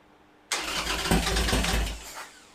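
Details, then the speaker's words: 2001 Harley Sportster 1200 conversion, Wiseco 10:1 pistons, first start after an Andrews N2 cam and S&S lifter install: starter catches within a second, engine fires and settles toward a lumpy idle with no odd knocks, a clean start. "Throw some plugs in and fire it up."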